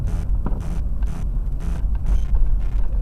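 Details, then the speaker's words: Chevrolet Blazer 4.3L V6 while driving: heavy low rumble with a few loud irregular thumps under load; engine knock, not sounding metal on metal so flex plate not suspected, cause undetermined pending teardown. "it doesn't really sound like it's metal on metal, so I'm not really thinking it's a flex plate."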